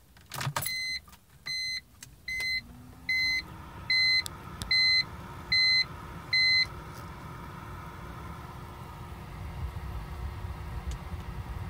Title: 2005 Bmw 325i won't start